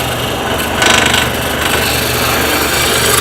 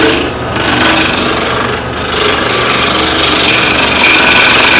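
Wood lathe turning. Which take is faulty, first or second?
second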